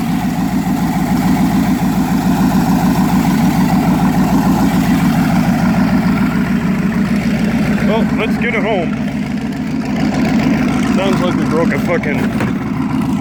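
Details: Turbo V8 with forged internals, 552-lift cam, 80 lb injectors and 102 mm throttle body: loud rough idle with uneven lope and occasional skip; misfire.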